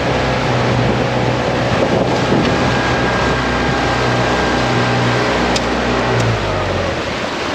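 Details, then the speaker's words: New outboard on a dinghy, first hour, throttle eased off after planing with the dogs aboard: steady low drone held evenly under wind and water noise, no misses or rattles; normal running. "the dogs I have no doubt we should play so easy everything's running great"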